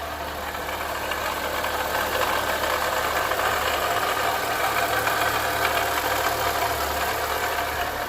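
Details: 2011–2012 Chevrolet Corsa Classic VHC-E petrol engine idling with a steady, gritty metallic rattle from the engine; worn water pump bearing noise.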